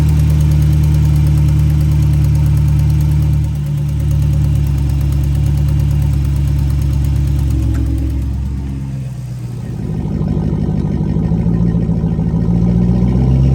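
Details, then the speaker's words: 5.7 Hemi (Dodge Charger/Chrysler 300) at idle and revved: fast ticking puff over the rumble that quickens with revs; warped exhaust manifold still leaking despite new gasket and tightened bolts, to be resurfaced. "Okay, I'm gonna start it up, and even though I put a new gasket on and I tightened the bolts down really tight, there's still a leaking exhaust sound."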